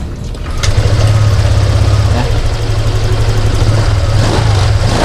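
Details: Honda Vario 125 LED fuel-injected scooter stumbling and choppy at mid revs, feeling starved of fuel; fuel pump pressure is normal at 40 psi, no scanner fault codes, white exhaust smoke; misfire.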